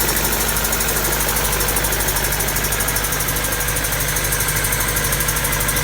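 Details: Honda D16Y7/Y8 "MiniMe" engine at steady idle with a repeating bottom-end knock about three times a second over the engine note; owner suspects a spun bearing from too much nitrous, unconfirmed.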